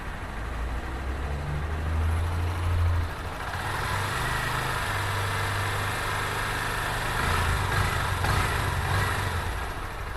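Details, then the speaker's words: Honda FAN 160 single-cylinder with fuel injection, injection time read on scanner: steady idle thrum, then slight pickup on a throttle blip; injection time peaks on acceleration and drops at higher rpm; even running, no knocks or misses. "Nunca esquecendo que no momento da aceleração vai um pico maior, depois esse tempo vai cair com a rotação elevada."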